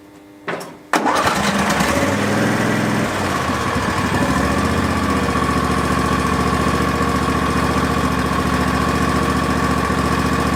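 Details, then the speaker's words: Barn-find Hayter ride-on mower started on a jumper pack, smoky at first on choke, seat pedal held in to keep it running: after a brief crank it settles into a steady, even run with no misses or backfires; normal running. "sweet so at least we know that it runs and it sounds pretty nice"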